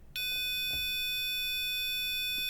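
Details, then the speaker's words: EMS VCS3 synthesizer under restoration: multimeter continuity beep sounds only when the wire from the envelope generator potentiometer to edge connector pin B29 is pulled, revealing a cold solder joint. "You get the continuity beep. So, what this means is that particular wire has a cold solder joint."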